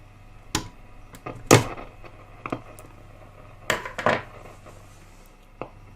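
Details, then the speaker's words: Westinghouse Wide-Fi W516M (AWA Radiola B15) valve radio, previously restored, suddenly crashing; with both suspect capacitors, including the detector-plate one, snipped, irregular sharp pops and crackles over faint hum continue. Cause is a dirty valve socket crackle. "say that's still doing it so it may be neither of those"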